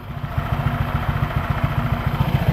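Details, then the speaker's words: Honda PCX scooter fitted with a Yamaha Aerox pulley, 6000 km on it, after home CVT cleaning: mic held close to the belt case, soft, even putter at idle with no rattle, whine or grind; normal CVT idle. "Nah, udah mulai kalem kan suaranya nih. Nah, udah mulai enak kan, kalem suaranya."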